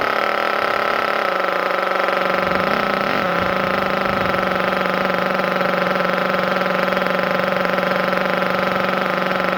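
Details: Thunder Tiger EB4 S3 nitro buggy, started in cold weather after a drop of fuel in the carb with the air filter off: steady, even buzz with no misses or surges, much quieter than the S2. Clean idle while warming up.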